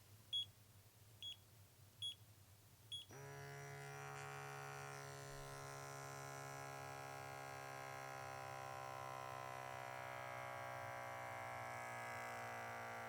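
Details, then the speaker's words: KAATSU C4 system with a leaking air band, retested after its O-ring was replaced: a few beeps, then the small compressor hums steadily and never cuts out, unable to maintain pressure; the O-ring is not the cause, air bladder leak. "And you can see that the compressor is still not able to maintain pressure. So the problem is not with the O-ring. The problem is probably with the air band itself."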